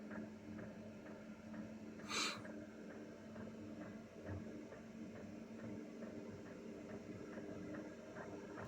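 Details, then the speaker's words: Diesel heater coming up to maximum setting, mic about four feet away by the feet: soft steady blower hum with faint regular fuel-pump ticks about twice a second; normal running. "right it's just coming up to maximum now right that's as noisy as it's going to be and it's about as I say 4T from here it's just by my feet"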